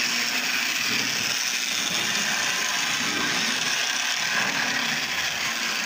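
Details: Lionel Tie Jector with its brushes put back in and reassembled gives a steady, high-pitched electric whir with light, even mechanical chatter and no catching or stalling; the motor and mechanism run normally again.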